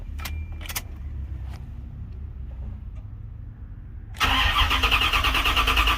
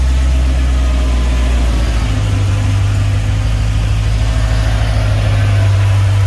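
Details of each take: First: Chevy Caprice LT1 V8 started cold after replacing one fuel injector, O2 sensors unhooked: catches after a few seconds into rough idle with sharp, fast puffing tick over the rumble; big exhaust leak. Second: Box Chevy Caprice with LT1 V8, first start a few hours after sealing an exhaust leak with RTV sealant: deep, steady, even idle rumble with no puffing or ticking, sounding way different; the exhaust leak is fixed.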